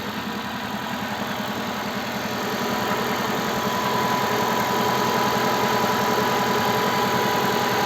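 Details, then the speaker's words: Cold start at -20°C, warm-up idle about 1400 rpm after software flash, under the hood: fast even idle with light regular ticking of three or four per second, power steering silent; normal injector tick. "гидроусилитель вообще не слышно как работают слышим как форсунки цокают"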